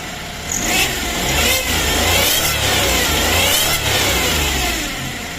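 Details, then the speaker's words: Suzuki DA64 (K6A engine) automatic, revved, recorded from underneath: harsh rushing noise with faint rising whine; starter later tested fine. Cause unclear. "Ganito naman ang tunog niya kapag naka-revolution Oh, ang ibig."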